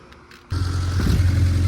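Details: 1991 Honda Civic after fitting new NGK spark plugs: starter turns briefly, engine catches cleanly and settles into an even, rising idle; healthy start.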